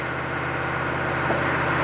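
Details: Chevy 6.5 turbo diesel, PCM suspected of over-fueling via the fuel control solenoid, cold-start coolant temperature reading about 100F too high; engine races near 2,000 rpm with steady raised drone, not dropping to idle. High idle.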